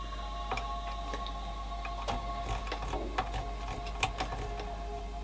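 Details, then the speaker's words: 1985 Yamaha A420 amplifier, serviced after a one-channel-missing fault, pots cleaned, quiet or no input; irregular scratchy crackles and clicks from the worn balance control: scratchy potentiometer crackle. "Maybe it's my... oh, you can hear a bit in the balance. Balance isn't the happiest. So sometimes you will hear the scratchiness."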